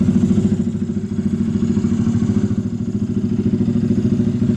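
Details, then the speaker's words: Honda Grom with BBK kit at 800 miles, cold start before teardown, slow oil leak: strong, even single-cylinder thump at a brisk idle, no knocks or rattles. Runs fine and is strong to sixty, though a little lacking on the top end. "like I said runs fantastic it's a beast from about zero to sixty turn it on it's a little lacking on the top end but we're gonna fix that"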